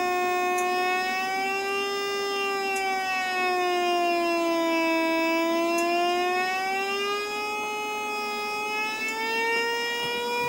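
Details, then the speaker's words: Repaired TV signal analyzer (connections cleaned), built-in speaker turned up: a loud steady buzzy tone slowly sags and rises in pitch as signal level changes; working signal-strength audio indicator for aerial alignment. "you can hear the tone changes now that's obviously so you can be turning an aerial round and not have to keep looking at the screen so that's quite clever"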